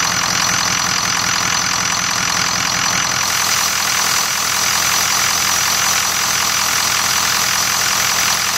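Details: 2003 Ford F250 6.0 Powerstroke diesel at idle: loud, steady, gently pulsing whistle, identified after research as VGT oscillation, normal at idle on very early 6.0s; separate power loss appears to be from a head gasket failure.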